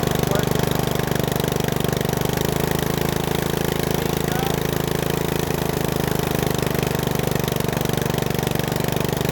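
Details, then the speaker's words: Bolens riding mower single-cylinder, revived after sitting a couple years, warmed up, idle lowered: steady, even putter with no misses or hunting; idle screw needs slight adjustment. "yeah I need a adjust that screw a little bit but I think this is what I've been looking for"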